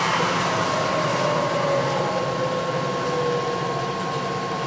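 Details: Clausing 20-inch drill press, two-speed three-phase motor in low range, not yet lubricated, spindle cranked back down from 1,000 rpm: smooth steady motor hum with a clean tone sliding as speed changes, no knocks or grinding; running healthy.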